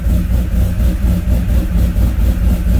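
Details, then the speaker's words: C10 with 5.3 V8, sloppy stage 2 cam, free LSA supercharger (about 5 psi), stock 03 Silverado PCM, being tuned: deep steady idle with a mild even lope after toning down from too-aggressive 18 setting. "okay i think this is more tame this is doable i think 18 was just a little too aggressive so she got a nice little tone to her"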